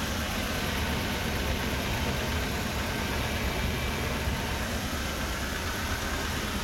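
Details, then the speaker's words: Toyota 1TR engine after a full overhaul that followed loud knocking: it starts easily and settles into a smooth, even idle with a steady hum and no knocking or missed beats; it runs healthy. "তো আলহামদুলিল্লাহ গাড়ি আমরা start করছি এবং খুব সুন্দর sound, এবং স্টার্টের কোনো ঝামেলা নেই, ইঞ্জিনে কোনো মিসিং নেই, আলহামদুলিল্লাহ সব কিছু ঠিক আছে।"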